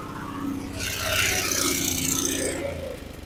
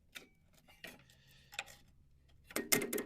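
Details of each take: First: Abandoned lawn mower small engine, after clearing a fuel-flooded, hydrolocked cylinder with the spark plug out: catches and runs fast, high-pitched and steady; throttle possibly stuck open, it wouldn't shut off. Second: Abandoned riding mower found on a junk job, engine feels locked by hand, little or no oil, jumped with a jumper box and grounded to the block: a few sharp solenoid clicks, no cranking; starter can't turn the engine, owner suspects it's seized.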